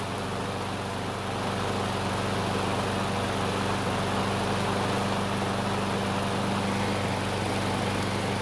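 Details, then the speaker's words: Craftsman mower that stalled when hot, after carburetor replacement, running about three minutes on a hot day with thermostat bypassing the choke: steady, even small-engine drone at constant speed, no misses or surging; normal running. "so it's been running for about three minutes and on hot day like today the engine should be hot enough to activate the bypass"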